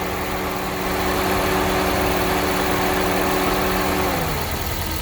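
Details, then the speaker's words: 2005 Gen 2 Toyota Prius in maintenance mode while topping off and bleeding coolant, AC just switched off: steady cooling fan whir over a low idle rumble, then winds down and stops; this is its second normal fan on/off cycle. "um because I'm not sure how to know when this is done bleeding hear that that's the fan"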